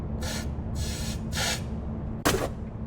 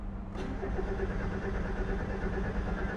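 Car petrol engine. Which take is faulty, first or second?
second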